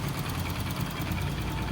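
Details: Honda Biz 125 scooter, which also smokes: single-cylinder idle with a busy, rattly clatter over the low beat; mechanical engine noise, cause unclear.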